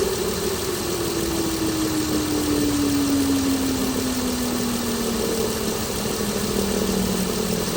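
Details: 2016 Chrysler Pentastar 3.6L V6, stated as about 2017 in a 2017 Dodge Ram 1500 regular cab, steady idle with a hum slowly sinking in pitch; owner reports a massive cranking noise at start; cause unclear.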